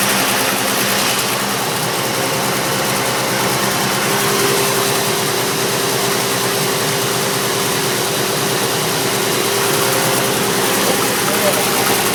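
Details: Turbo Chevrolet S10 at steady idle with a faint, uneven knock under the engine hum; cause undetermined.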